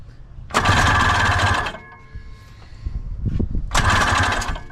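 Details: 1982 Honda Odyssey FL250 with a seized, water-filled engine freed up: two bursts of fast, even cranking with no firing, plugs flooded.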